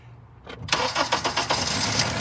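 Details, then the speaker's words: Four-cylinder engine with one injector deliberately disconnected for a scope misfire test, started and running on three cylinders. It cranks and catches, then runs with uneven, lumpy, stumbling pulses: a dead-cylinder misfire. "we're running on three cylinders here we go"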